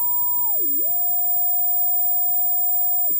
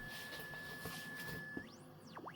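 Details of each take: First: WW2 German military radio powered by a switching power supply, 1 microvolt test signal: constant high-pitched whine over hiss with swooping tones and noise across dial; switching supply interference, 0.6 V ripple. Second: we can heard the weak signal just fine we cannot heard any noise signals Works absolutely great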